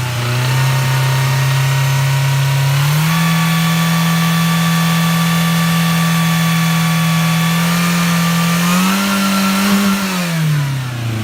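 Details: 1994 Toyota Tercel, hot engine after a Seafoam treatment, with exhaust leaks, held at raised revs: slightly uneven, lumpy beat under a steady drone. Misfire from low compression in cylinder 4, suspected leaking valve.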